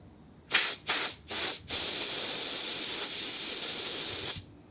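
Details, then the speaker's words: 1957 Ford Thunderbird four-barrel carburetor part, air blown through passage; three puffs then long thin whistling hiss; passage virtually completely blocked with crust. "can you hear it's just there's like a really restricted sound in like a really restricted sound in air"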